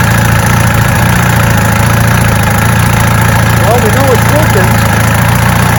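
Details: 1965 Evinrude Electromatic 75 hp two-stroke outboard after new water pump impeller and lower unit service: steady low drumming idle with faint chirp; runs perfectly and pumps water well from the exhaust hole.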